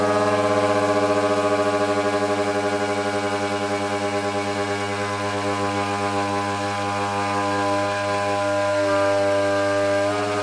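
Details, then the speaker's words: Indoors, motor on a Coroplast delta wing held by hand, with an 808 #16 V3 camera: a steady high-pitched drone with a strong pulsing wobble, a severe vibration from an awful prop, probably slightly bent from landings. "this is a very severe case of vibration that prop is is awful it's probably even a little bit bent from from some of the uh some of the landings I've had"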